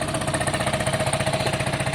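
Quick, regular pulsing at about ten beats a second, even and unbroken; the bike settles into a healthy idle.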